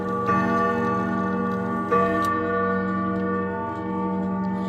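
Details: Clock with 1970s case and common 1161 movement: two clean bell strikes about 1.5 seconds apart, mellow even tone, no tinny edge; strike quieter and much better.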